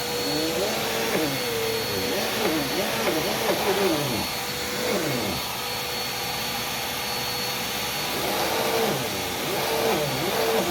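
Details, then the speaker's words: Brand-new, never-run Dirt Devil vacuum, handle replaced with an eBay part: steady loud motor roar with a wavering higher whir; the brush roll drive belt is badly stretched, one of several shot belts on new machines. "yep that belt is pretty shot okay does not surprise me"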